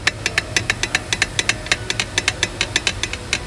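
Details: Removed dual mass flywheel rocked by hand: quick sharp metallic clacks about six a second from excessive play; DMF worn out and needs replacement, typically causing clutch pedal vibration.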